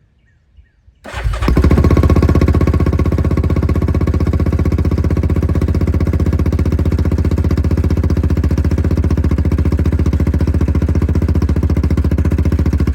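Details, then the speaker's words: Yamaha Grizzly 660 ATV, just fitted with an aftermarket Amazon carburetor replacing the OEM one, after storage on old fuel. Cold start on choke catches on the first crank into a steady, fast, slightly uneven single-cylinder idle; runs fine. "First lick ain't bad, is it? Get some heat."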